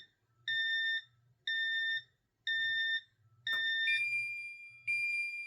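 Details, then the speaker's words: Safe House 49-485 alarm keypad, armed away, zone tripped: four steady half-second beeps, one per second, with armed and delay LEDs flashing, the entry-delay warning before the alarm sounds. "Let's go ahead and trip that. Now you hear it beeping. You see the armed LED is also flashing and the delay LED."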